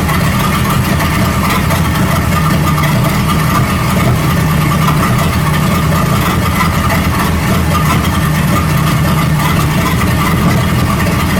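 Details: 1937 Buick Roadmaster at a steady, fast idle that never settles: the carburetor's unused starter solenoid holds the throttle open too far, so the idle screw setting has no effect. The fix is disconnecting the solenoid and then resetting the idle. High idle from a stuck choke solenoid.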